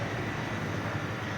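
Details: Fried ice cream machine refrigeration unit after repair of a miswired solenoid valve and a damaged sensor; previously ran but would not freeze. Even, low compressor hum, no knocks; tray now about -19 to -20 °C, working perfectly.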